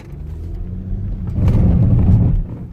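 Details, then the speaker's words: Jaguar XF 2.7 diesel with intermittent ABS and ESP warning lights, short test drive: car pulls off, then under hard braking a rapid low pulsing rumble for about a second; ABS cycling normally. "i don't know if you can hear it but the abs is definitely working so i'm going to have to find a better road because i think this is private"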